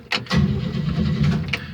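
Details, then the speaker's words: 1971 Chevy C10 with a six-cylinder and three-speed floor shift, not run for quite a while, on a cheap year-old battery charged for two days. A click, then brisk, even cranking: the starter turns it over strongly. "a while that's turning over pretty good charged it for two days"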